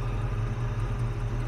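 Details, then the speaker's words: 1967 Chevrolet C10 stepside pickup, oil due for change: short clip of low steady burble, no ticking or stumbling; normal idle. "so but it just sits here and runs i mean it just sits here and runs"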